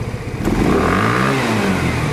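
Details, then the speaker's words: Genuine Buddy 125 scooter after carburetor service: throttle snapped open quickly to test the accelerator pump, revs climb straight up from idle with no stumble or hesitation; crisp pickup, accelerator pump working. "You can test the accelerator pump by snapping the throttle open very quickly. If the accelerator pump is not working, it'll stumble a little bit when you open the throttle instead of just picking right up off the bottom."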